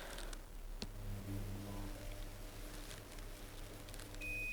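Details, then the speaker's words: Dyson CR01 Contrarotator washing machine, about 23 years old, after reassembly, cotton 30 test wash: single steady high beep over low hum as program finishes; display says uneven load could not spin, though owner thought it was spinning, maybe not reaching 1400. "that's it program finished uneven load could not spin that's a bit weird that's what it's saying up on top there"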